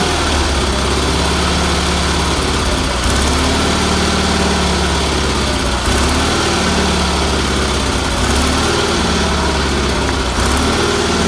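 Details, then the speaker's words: Roper tractor with BFM twin-cylinder engine after new fuel filter, fuel line, pulse line and tuning: steady, even twin thrum at idle, no knocks or misses, running normally. "I'm very happy with that motor runs good had to do a little tuning on it but that's what happens every time you do it"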